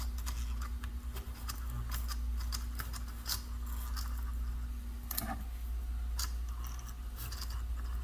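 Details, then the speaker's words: Vintage HO scale diesel locomotive on track: steady low hum with scattered clicks, no running rhythm; motor powered but won't turn over, needs work, cause not determined. "all right i don't think this one's going to go i hear it humming it's almost like the motor don't want to turn over so we'll have to do a little work on that one"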